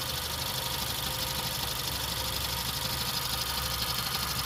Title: 2015 cr-v weird grinding sound